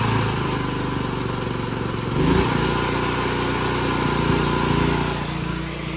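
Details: Free broken Chinese generator after fuel system repairs: small engine settles into a steady, even drone with no misses or knocks; normal running.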